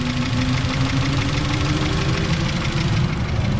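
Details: NC Miata with a Racing Beat header and mid-pipe: a steady idle with a fast, heavy clatter like valvetrain noise. With a stethoscope, the owner traced it to the intake and suspects the intake swirl flaps; ticking at idle.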